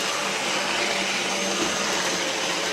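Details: Kit-built OO gauge 3-rail SDJR 7F 2-8-0 model locomotive on a Gaugemaster controller at about 80–90%, needing a lot of power. Steady high-pitched whir with no knocking or catching. Normal running.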